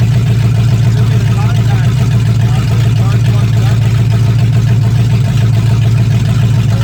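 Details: 1965 Mustang fastback, 289 V8 with Tri-Y headers, first start after sitting 44 years, freezing cold day: loud, even V8 rumble with a steady beat and no knocking or misfire. Normal running; only a dripping carburetor needing a rebuild.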